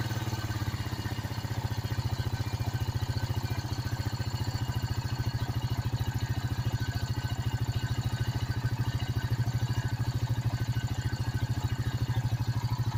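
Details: 2006 Honda Rancher after carburetor cleaning, choke off: steady, even single-cylinder thumping about three and a half beats a second, no misses or clatter; healthy engine.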